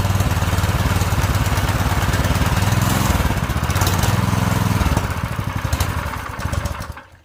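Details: Predator 212cc 6.5 hp engine newly swapped into a mini bike, governor removed, new clutch, choke on: it catches and runs at a rough, steady lawnmower-like beat, then winds down and stops; it starts and runs fine.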